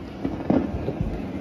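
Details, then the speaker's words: Late-90s Fender Prosonic tube amp, warmed up, after speaker, tube and filter cap replacement: random sharp crackles and pops over low hiss, unaffected by volume; pulling preamp tube B3 reduces it most, silent with all preamp tubes out. "and the one that seems to affect it the most when I pull the tube is B3 but you can hear it's still barely there"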